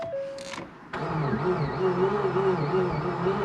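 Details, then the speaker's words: 2014 Ford Focus 2.0 automatic, 106,000 miles, crank-no-start, scan tool showing low compression on cylinder 2: after repeated compression tests the replacement battery is drained, and the starter barely turns the engine at about three labored beats a second. "i already drained this battery [Music] barely turning it yeah this battery is weak now"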